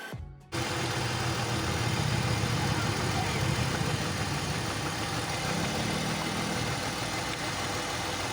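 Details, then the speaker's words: BMW X3 with M54 engine at idle; uneven, loping idle with a soft stumble from misfires on cylinders 1 and 2, caused by two bad ignition coils, one dead and not firing, the other cracked and leaking spark. "So we found out that we have two bad ignition coils, one that is dead and not firing at all, and the other is cracked and leaki"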